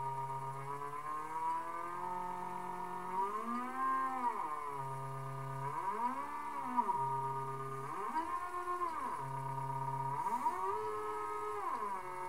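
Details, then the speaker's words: Large NEMA 34 stepper on an Arduino with ST-M5045 driver and 24V supply, loaded shaft, potentiometer speed control: clean whine rising and falling in speed sweeps without skipping or stalling; normal running under load. "so it seems to be handling that okay you know you can ramp up"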